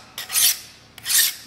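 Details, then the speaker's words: File on flame-cut edge of scrapyard steel plate, probably mild steel: two short, high scraping strokes that hiss rather than bite; file skating off hard flame-cut slag. "I don't know if you you can hear that but that file is just skating off of that that stuff is hard"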